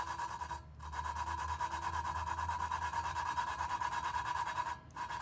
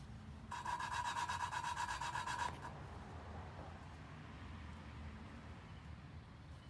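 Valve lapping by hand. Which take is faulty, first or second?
first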